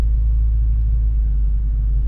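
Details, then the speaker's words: Subaru Forester XT on a test drive after bending back the brake backing shield that rubbed the rotor, during CV axle job: smooth low road rumble, no metallic scraping or rhythmic rubbing; normal driving, scrape fixed. "All right, let's try that again. Yep, no scraping."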